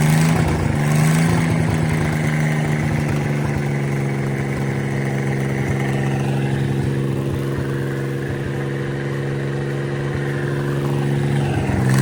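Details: Mid-1950s Chris-Craft Model W (marinized Hercules WXLD) inboard in a 1940 23-ft speedboat, after overhaul following an oil-pressure-loss failure, test run: steady even idle with a smooth low hum, no knocks or misses; normal running.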